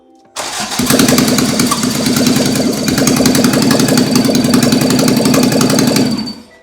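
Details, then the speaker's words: Toyota AE86 with a 4AGE 20V black top swap on a Haltech ECU, just after its first start. Loud, fast-pulsing bark through the intake tubes that stumbles unevenly now and then. A slight misfire; the plugs were wet, new plugs are planned, and oil pressure was slightly low. "Yeah, and you can tell it's kind of got a little bit of a miss, but all the settings are."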